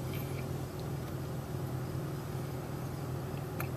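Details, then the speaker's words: Overheating engine at idle: steady, even idle with the radiator fan rushing underneath, no knocks or surges; after about another minute the temperature gauge has fallen below half as the fan cools the engine. "okay we've been running for about another minute or so and we can see that the gauge is actually Fallen below half off so the fan is cooling the engine down pretty quickly here"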